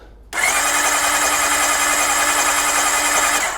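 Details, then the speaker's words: Honda Blackbird CBR1100XX, reported not running right, plugs out, in neutral with clutch pulled: steady high starter whir about three seconds with no firing, turning over freely; normal cranking. "Right, pop the cap back on. Let's just see if she's turning over and building oil pressure now."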